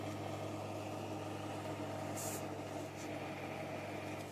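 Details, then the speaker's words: Car radio bench-tested off a computer power supply: steady whirring drone and constant low hum from the power supply's noisy cooling fan, no speed change. "As we go through this, I'm going to apologize in advance for the racket that's coming from the power supply."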